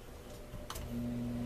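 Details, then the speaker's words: Steady low electrical hum from a small blower fan motor for a vented litter box, wired through a speed control/dimmer switch; it hums when turned down too slow, so it can be set just above the buzzing point. "so that's it i got it plugged in now it does hum near if you go too slow"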